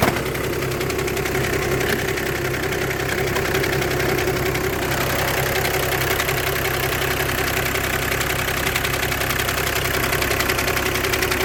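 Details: VW (2008-2014, DSG) at steady idle with a loose, irregular knocking rattle about eighty times a minute on top, an abnormal noise from the clutch area. Clutch plate or bearing is suspected, not confirmed.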